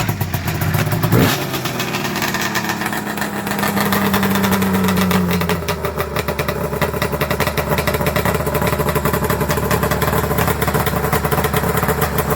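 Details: 1994 Arctic Cat Thundercat, rebuilt 1050cc Hooper big-bore two-stroke triple drag build, warm after one heat cycle: crisp crackly steady idle, brief blip up, settles cleanly, fires evenly; sounds gnarly and healthy.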